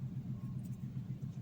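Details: Fiat Argo idling, heard from the cabin, right after replacing the torn rubber membrane cap by the air filter that caused a kettle-like whistle under light throttle; quiet smooth low hum, steady pulses, no whistle or hiss, normal idle.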